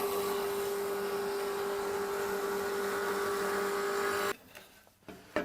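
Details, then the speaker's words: Nova Voyager DVR variable speed drill press (50–5,500 rpm range) set for 3/8 twist bit in softwood: soft start ramps spindle up to 3,000 rpm, then smooth, steady motor hum at one even pitch before cutting off cleanly; normal healthy running. "And you hear that soft start. It slowly ramps up the speed to that 3,000 RPMs."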